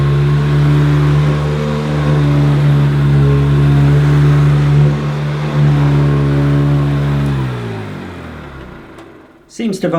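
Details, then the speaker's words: Classic American Hoover Decade 80 upright vacuum run through a converter box, on normal setting on carpet: loud steady motor drone with heavy low hum and buzzy edge, then spins down; noisy running with vibration, cause unclear. "it's hard to judge a course on a YouTube video so it's pretty noisy on normal"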